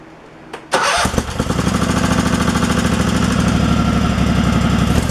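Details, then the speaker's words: Craftsman Pro that surged, fitted with a new carburettor at factory settings and a 4.5 mm gasket spacer fixing the linkage, air filter off: catches after a brief crank and runs steady and smooth with no surging. "so much better all right so i'm going to put all the air filter and everything back on and then just maybe tweak this air adjustment just a little bit it sounds like it's running pretty smooth where it's at so all right it's not surging"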